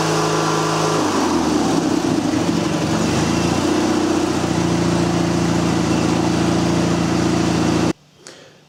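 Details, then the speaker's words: MTD riding mower with a Briggs & Stratton 20.5 HP second-generation twin, which had been loping and died during mowing: starts, settles into a steady idle, revs up and down smoothly on the throttle with no hunting or surging. "did Idol find up sped it up and down with the throttle no issues"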